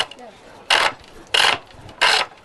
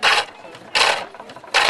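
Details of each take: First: Pole lathe, treadle and rope driven, roughing-out gouge on a split ash chair-leg blank: loud raspy cutting bursts about every two-thirds of a second with heavy chatter on the out-of-round wood. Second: Pole lathe, roughing-out gouge on an ash chair-leg blank now nearly round: three crisp, even hissing cuts about every three-quarters of a second; the chisel's note changes as the wood gets rounder.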